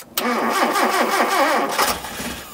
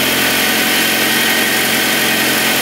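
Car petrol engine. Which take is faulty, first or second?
first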